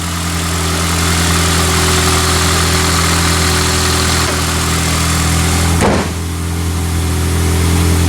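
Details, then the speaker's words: 2003 Pontiac Vibe GT, six-speed manual, after misfire troubleshooting with coil and spark plug work: deep, steady drone with an even purr and no stumbles while backing out of the shop; no misfire felt, running normally. "in this case I want that nice purring sound maybe a little bit of raspiness we'll give her some throttle make sure everything's good"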